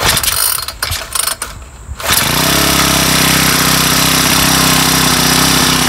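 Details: Weathered Craftsman Speed Start 29cc four-stroke string trimmer with blower attachment, first cold start on a cold day with makeshift filter cover: a few sputtering pulls, catches at two seconds, settles into a steady even high-pitched idle; running normally.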